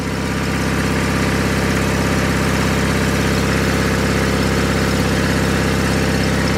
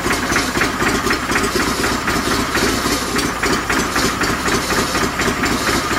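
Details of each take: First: 49-year-old John Deere 318 garden tractor, previously repaired after engine failure, revved to fast idle: even firing with steady pitch, running healthy; the charge light goes out and it charges at 14.2 volts. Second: 49-year-old John Deere 318 garden tractor after sitting, old gas evaporated: small engine popping about four times a second, uneven and straining, running on fuel squirted from a bottle until the line primes; fuel starvation sputter.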